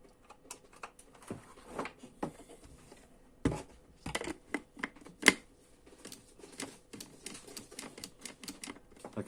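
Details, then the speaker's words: Mueller 135 W coffee grinder, model MCG-335, plugged in: sharp irregular switch clicks but no motor hum, nothing runs; fault traced to a blown thermal fuse. "hear the clicking but nothing happens"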